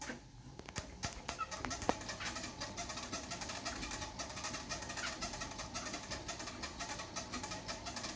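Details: Xiaomi WalkingPad C1 treadmill: light, quick chirping squeak about three times a second over a quiet running belt, only at start after being folded or unused 8-12 hours, gone after about 2 minutes; cause unknown, owner wonders if lubricant needed.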